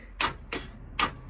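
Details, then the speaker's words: 1987 Honda Super Magna project with new battery: four sharp dry clicks, two to three per second, no cranking; owner suspects stuck starter, dead battery or vapor lock; fired right up on next push. "that's no good the starter get stuck or we just kill the battery something just let loose"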